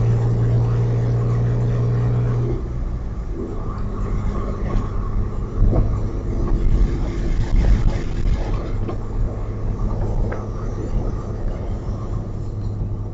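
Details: Audi A4 2.8 12V V6 at idle: deep tractor-like chuffing rumble with irregular puffs; exhaust leak right after the flex pipe and before the cat, one bank open; since repaired, now running a Magnaflow muffler.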